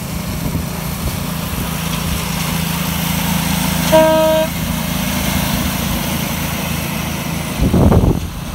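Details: RL306 7.25 inch gauge light loco test run at Batavia Coast Miniature Railway after repairs to a lay shaft, where a broken taper lock sprocket taper had been jamming; steady even engine drone, one short horn toot, no knocks or grinding. Normal running.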